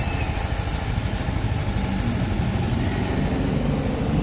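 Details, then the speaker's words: Mio i 125S scooter idling after valve clearance reset to spec (was noisy when loosened): steady, even low hum with no ticking or tapping, quiet valve train — normal idle. "Binalik ko na siya sa tama niya valve clearance."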